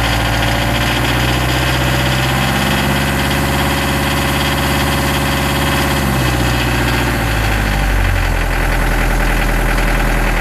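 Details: Nanni diesel under throttle: steady run with a dull knock over it; caused by worn injectors and slightly-out valve clearances, cured by injector refurbishment and clearance adjustment.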